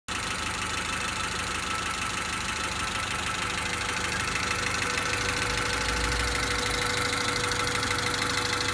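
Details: 1991 Honda Accord after head replacement, zero compression fixed by oiling cylinders (now 60-110 psi): steady, even idle with smooth continuous hum, no knocks or misses; engine settled after coughing, smoky for about 20 minutes.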